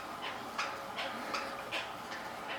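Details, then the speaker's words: Used Keiser M3i indoor cycling bike ridden out of the saddle in gear 16 at about 80 rpm cadence and 210–225 W: sharp squeaks in time with each pedal stroke; owner blames squeaky pedals. "Man, some squeaky pedals. But it feels really nice."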